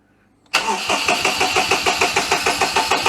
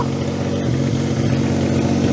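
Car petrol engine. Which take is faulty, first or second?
first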